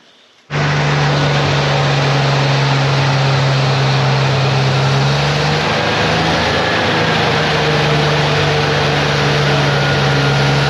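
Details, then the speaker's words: Lemonhead engine, first runs, bad dash wiring fixed: catches and settles into a steady but slightly uneven low-droning idle, smoking heavily, possibly burning off old deposits; rough idle. "it runs I mean seriously it runs doesn't sound too terrible at this point um it even kind of sort of idled there for a while"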